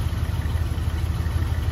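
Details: 1979 Chevy K10, abandoned 20 years, now back on the ground on good tires and running on its own fuel system: a steady, even idle with no knock or miss before driving it out.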